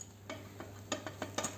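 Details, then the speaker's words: Front suspension shock absorber, rod pushed by hand: sharp uneven clicks, six or seven in under two seconds, from rod play; the piston knocks against the shock body wall, rod returns abruptly instead of smoothly. "Então faz esse barulho da folga da haste. Se a gente perceber a haste movimentando aqui, ó. A gente percebe um pouquinho de movimento aqui, mas o movimento maior é dentro do êmbolo do amortecedor batendo na parede do amortecedor."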